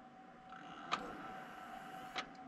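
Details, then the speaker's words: Desktop computer won't boot: with no keyboard attached it power-cycles on and off repeatedly, two sharp clicks about a second apart over a quiet hum; graphics card fan spins up and down, CPU fan doesn't spin; power cycling clicking, no boot. "so it's going to continue to power cycle and i've got this camera close enough hopefully you can hear it clicking just listen one more time"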